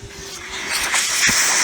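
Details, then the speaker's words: Philips Respironics System One CPAP after its foam was removed and the unit reassembled; a steady airy hiss swells and holds even with no rattles or buzzing, and the blower runs normally. "We got air. Ooh, that feels like there's a little bit more air in there. Feels pretty good. Solid. We're running."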